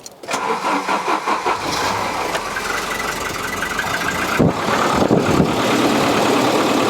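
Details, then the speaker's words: Volvo 740 during a service, engine started after adjusting the drive belt: short squeaky chirp over the settling idle; belt still too loose and won't tighten, and the adjuster bolt then snapped, possibly why it wouldn't tighten. "sounds so it's chirping a bit yeah it's still too loose but i don't see why it's not tightening up anymore"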